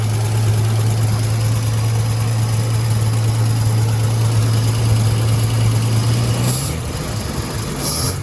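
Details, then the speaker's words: 1956 Dodge C3-H6 1.5-ton truck, first start in 20+ years, started with screwdriver and manual throttle; low, steady six-cylinder rumble holding even idle then easing off; normal idle. "We got her revived. First start in 20 plus years, so that's always a great feeling"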